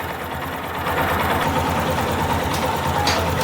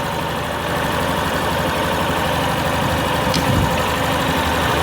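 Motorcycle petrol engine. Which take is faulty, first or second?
first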